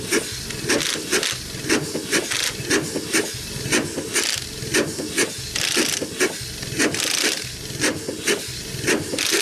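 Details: Century-old Chicago Pneumatic steam engine driving air compressor (compressor head off), first run in decades after long outdoor storage: slow even chuff about once a second with sharp steam hiss each stroke; runs well but packings leak and need adjusting or replacing.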